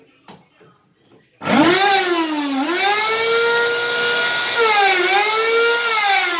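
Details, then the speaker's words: Karcher WD 2 shop vacuum starts with a harsh, loud whining roar whose pitch sags and recovers; persisted after motor bearing replacement; cause construction debris stuck to the turbine blades, fixed by cleaning the turbine. "он говорит проблема в том что лопасти турбины apple они прилипли весь строительный мусор туда"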